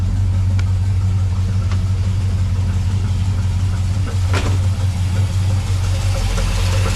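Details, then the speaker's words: 1970 Dodge Charger at idle in neutral after a torque converter swap, converter bolts tight, good oil pressure, owner now suspects the engine: steady low idle with an occasional faint knock, not constant, gone when revved; intermittent idle knock, source unknown. "the hell is that sound? It doesn't make it sound all the time, but as you heard just now, I mean, it's pretty bad."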